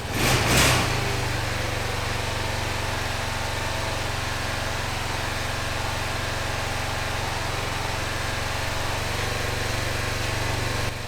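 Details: 2005 Honda TRX650 Rincon, 650cc single-cylinder four-stroke, after repairing the carburetor float valve: after a brief blip it settles into a smooth, even low idle with a steady thump; normal idle.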